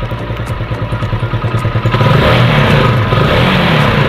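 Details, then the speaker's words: Single-cylinder motorcycle with PE28 carburetor, just after replacing the intake manifold-to-carb rubber with a Samco hose-type part: steady putter settling into an even idle after a brief rev, no misses or hunting; smooth idle, installation good. "Ya, mesinnya berputar dengan baik saat idle. Ya, seperti ini."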